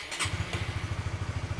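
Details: Honda CB150R with a capacitive touch-sensor anti-theft module fitted: after touching the clutch-switch sensor, the single cylinder starts on the first try and settles into an even thump of about eleven beats a second. Healthy start and idle.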